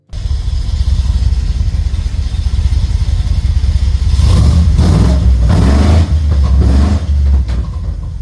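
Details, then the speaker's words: V6 SN95 Mustang after motor swap, with homemade bent stainless exhaust and mufflers: deep even rumble then rev blips, no rattle, ticking or leak puffs; normal exhaust note. "Now that sounds much better."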